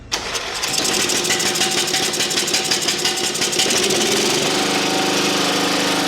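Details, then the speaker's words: Engine-swapped machine with a single-cylinder engine, first start after new battery terminal and full choke: quick crank, then catches and settles into a fast, steady putter with no misses; starts and idles cleanly. "It's running. Woo! You wanted a woo, didn't you? Woo! It's running, too."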